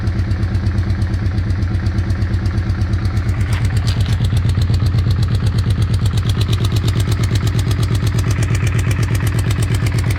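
A regular tapping clatter, about three beats a second, rides over a steady idle; it is an unusual noise with no clear cause yet.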